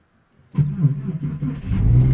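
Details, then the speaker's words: 2001 Porsche 911 Carrera 2 with an intermittent no-crank fault traced to an immobilizer data wire routed through a relay: a quick crank, then the engine catches cleanly and revs evenly into a steady run. "and engine is running so obviously guys this is just a data wiring uh a data wire"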